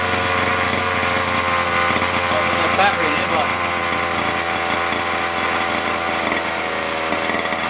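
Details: Nitro RC car engine after fitting a replacement glow plug, little priming: high buzzy chainsaw-like scream at fairly steady revs with raspy flutter; running normally.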